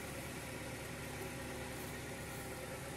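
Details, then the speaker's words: 2000 Honda Prelude SH (H22) after the surging-idle fix, first start: faint, even idle hum with no hunting. Idle is slightly high; owner suspects the throttle cable or a dirty intake. Normal idle. "I've fixed it that is so relieving it's a little bit high of an idol which I think could be the throttle cable or just a dirty intake or whatever the case but this is totally tolerable"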